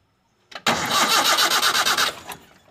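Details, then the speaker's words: Toyota Kijang that won't start at all, after confirming spark at the coil lead via the coil resistor: starter spins the engine at a steady beat for about a second and a half with no catch; cranking no-start, still being diagnosed. "Oke sobat semua belum bisa hidup sepertinya masih kita harus cek dulu"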